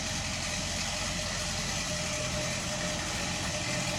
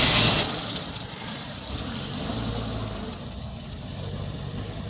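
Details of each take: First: Del Rey CHT at a steady idle with a busy metallic chatter over it, audible from a distance; timing chain rattle, apparently resolved later. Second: Del Rey CHT: smooth, even idle with a steady low hum and no chain rattle. The timing chain noise appears resolved.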